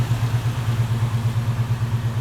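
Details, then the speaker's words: 1972 Chevy C10 with non-original 350 small-block V8, headers, Rochester carburetor with electric choke, 6 psi fuel pressure, TH400: starts easily, deep even burble with steady low pulses, no misses or knocks; normal smooth idle. "go ahead and fire it up and have a listen starts really easy and smooth"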